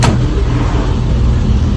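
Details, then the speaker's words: Retro racer with a 1275 A+ engine before tuning, ignition timing far too advanced: loud, lumpy, uneven low rumble at idle with no smooth rhythm. "under the bottom we've got a 1275 A+ engine and uh you can hear that you can tell we got some problems"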